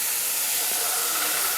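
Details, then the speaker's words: CNC total-loss way lube system, distributor/metering block with restrictors under air; steady hard hiss and bubbling at the body instead of the outlets: plugged way lube metering valve inlet. "see that bubbling that means this is plugged up and the air has an easier way to come out right"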